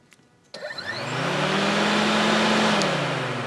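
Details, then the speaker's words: 2002-2006 Honda CR-V 2.4 with overheating, key in run and engine off, fan switch connector jumpered with a paper clip: click then steady whooshing hum as radiator fans run; relays, wiring and fans good, faulty fan temperature switch. "See, so if our paper clip is in, you can hear the fans turn on, which means that the relays, the wiring, the fans, everything is good."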